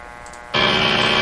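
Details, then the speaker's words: 1925 Magnavox Type D TRF radio tuned near 590 kHz: a sudden harsh, high-pitched buzz cuts in for under a second then drops out; recurring interference signal seen beside the station on the spectrum display. "Okay, so that's that thing I hear all the time in here."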